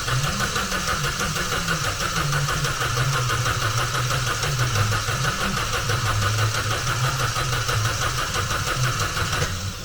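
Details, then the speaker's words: 2015 Vauxhall Astra J 1.4 turbo, 86,000 miles, after repairing a snapped chain guide between the camshafts, fresh coolant, coil packs disconnected: even rhythmic churning cranking to build oil pressure. Normal cranking with ignition disabled. "now what I'm going to do is I've connected the battery back up I've disconnected the coil packs we're just going to wind it over build that oil pressure"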